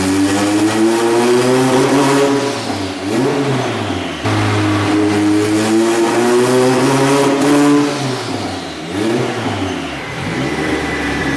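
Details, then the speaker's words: Turbo Honda Civic on the dyno under boost: revs climb hard, then the engine abruptly drops out and sags mid-pull several times. The fuel pump was heard making noise, and fuel cut is suspected; engine cutting out under boost. "Because that pump was fucking making noise. Because that sounds like fuel cut to me."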